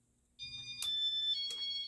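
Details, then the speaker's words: Early-to-mid-1990s Casablanca San Marino Inteli-Touch 52-inch ceiling fan with W-11 wall control: clear high chirps when switching to speed two, then the fan cuts out; unexplained shut-off fault, cause not traced. "turn it up to speed two and there's that annoying turning off thing again"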